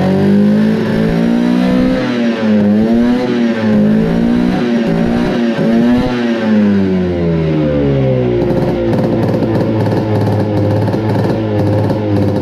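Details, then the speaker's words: 1972 Arctic Cat Panther 340 snowmobile run after long storage, exhaust loose: two-stroke revs surge and sag, then settle into a choppy, unsteady idle; owner suspects flooding, possibly running lean, with very slow acceleration; rough idle. "doesn't like idling. I don't know if it's flooding out or running too lean."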